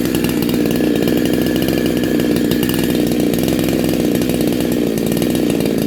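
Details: Neo-tec NH872 chainsaw (372XP clone) with big bore kit, cold start on a later heat cycle, about 22–25°C: saw revs hard with a crisp, even buzz and steady beat, no misfires or rattles; running healthy.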